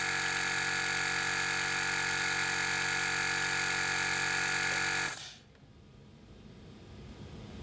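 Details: 2017 BMW 5 Series F11 rear air suspension, both rear air springs already replaced: compressor commanded via scan tool gives a steady high buzzing hum then cuts off, car never rises.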